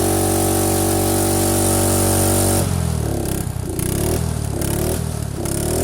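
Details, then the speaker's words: Small single-cylinder old carbureted engine in freezing weather, cylinder preheated, spark plug refitted, full throttle, no choke: steady drone then fires at once into even, quick thump without stumbling; clean easy cold start. "oh she's fighting mint no hassle quick and easy is she island oh yeah look at that easy that's how you get [ __ ] done a little manual heating of the cylinders goes a long way"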